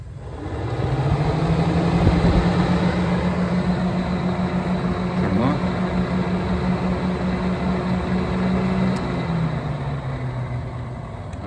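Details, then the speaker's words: 2008 Saturn Vue whose radiator fans would not turn on even at 180–200°F: fans activated via scanner actuation test give a steady low electric-motor hum at even pitch over the running engine; cooling fans working. "you can see the fans are working"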